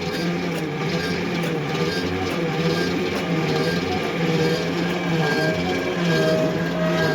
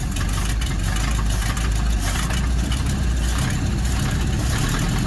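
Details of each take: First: 1955 Dodge Super Red Ram Hemi, 70 years old, cranked after a week soaking fluid past the rings with key off: harsh grinding squeal over slow uneven cranking about four beats a second; owner suspects old starter on flywheel. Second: 1955 Dodge Super Red Ram Hemi V8, first start: steady, even low rumble with no ticks or knocks; normal smooth idle.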